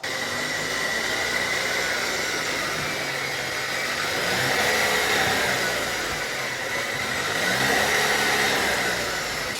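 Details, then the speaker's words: Cadillac CT5/CT6 (2019 or later) with GM 10-speed automatic at just over 80,000 km: a steady high whine sits clearly above road noise while driving, from the transmission front cover bearing damaged by helical-gear thrust; the repair is to fit a reinforced straight-cut gear. "上回说15万公里左右响，话说早了，他这车8万多公里就出现了响声。"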